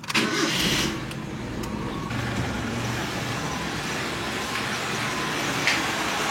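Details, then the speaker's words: Engine restarted after cleaning the EGR (exhaust gas recirculation) valve and reconnecting its vacuum line: starts at once and drops into a quiet, even idle with a steady beat, no hunting or stumbling; idle smoother, starting easier, engine quieter. "Masa enjin running, idling lebih smooth, nak start pun senang dan anda dengar betapa senyapnya enjin ni."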